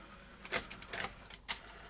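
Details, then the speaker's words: Sony Betamax SL-T30ME after re-timing the lacing mechanism against a good deck: light scattered clicks and soft whirring as the tape loads and laces, no grinding or strain; loading and eject work normally. "then it laces up and i can operate the deck and eject good"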